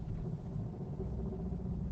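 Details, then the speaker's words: Automatic car being driven, owner suspects transmission/acceleration or vacuum issue; heavy deep rumble far too loud for stock, owner suspects muffler problem, unconfirmed: loud exhaust rumble. "a sound it sounds like the car has been souped up and modified to be a street car but it hasn't maybe it's a muffler situation"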